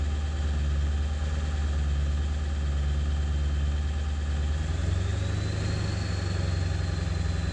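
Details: 7.3 diesel at idle after ICP sensor replacement, still running poorly: a steady deep rumble that lifts slightly around five seconds, with an uneven, lumpy beat; rough idle, cause not pinned down.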